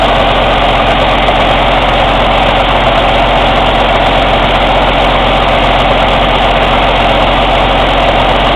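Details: Cummins ISX CM2250 diesel running steadily during DPF regeneration: rough pulsing loud air chuffing from the intake, no mechanical or metallic knocking; owner suspects turbo chuff during regen, unconfirmed.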